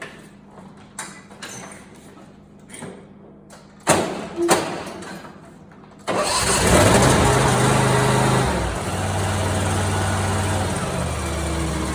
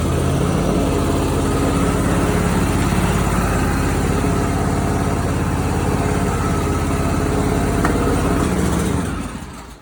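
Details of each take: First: Simplicity Prestige mower, 27 hp Briggs & Stratton V-twin, after replacing backfiring Nikki carburetor with a China-made carb: a few starter bursts, then fires and settles into a steady, even idle with no hunting or stumble; normal idle. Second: Simplicity Prestige mower with 27hp Briggs & Stratton V-twin and original Nikki carburetor, before replacement with a new aftermarket carb: uneven lumpy beat with occasional sharp pops, then stalls; backfiring and popping blamed on faulty carburetor.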